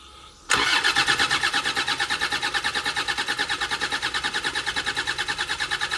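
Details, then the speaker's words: 1999 Land Rover Defender Td5 diesel that ran badly, after replacing a wrong green-top 15 psi injector with correct black ones: diesel catches instantly and settles into steady even idle clatter; normal engine start, though the head is leaking oil. "That seemed to start okay. So, good stuff, eh?"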